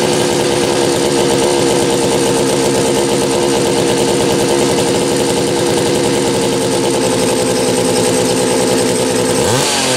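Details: Homelite 330 chainsaw with few hours, after fixing a kill-switch ground wire broken by the factory crimp: steady high-pitched wide-open scream held even for ten seconds, then drops off cleanly; normal full-throttle running, saw ready to go.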